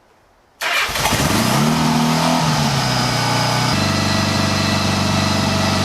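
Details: 1975 Honda GL1000 Goldwing after recleaning carb passages and jets, with a new battery: silence, then it catches at once and settles into a steady, even idle with no misses; running cleanly.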